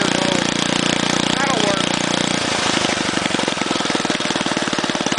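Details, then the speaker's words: Go-kart small engine that sat a long time, idling: small single chugs with an irregular, skipping putter. It misfires from a sticking valve, and the treatment to free the valve hasn't fully worked yet. "Apparently, no, that valve just likes to stick if they set for a long time, and this thing did a lot of setting."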